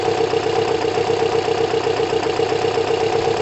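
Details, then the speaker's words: Kawasaki ZL600 after a carb rebuild and balance, valve clearance adjustment and new coils, on reserve with about 3 L of fuel and not yet warmed up. Smooth, even idle with a soft steady exhaust beat, no ticking, misses or hunting. "st it's great news you can just hear the engine the engine sounds great um there isn't that much fuel in there is about 3 l so it's currently on reserve uh and it needs warming up"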